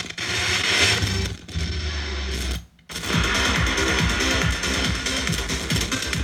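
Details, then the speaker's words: Behringer Studio L monitor controller: music through the monitors cuts in and out, briefly and then for longer gaps, because the A-switch has dirty contacts preventing metal-to-metal contact; switch to be cleaned. "See, it's like cutting in and out. I can't have that. See? Well, that's not good. We're going to fix that. It seems like we have a dirty switch."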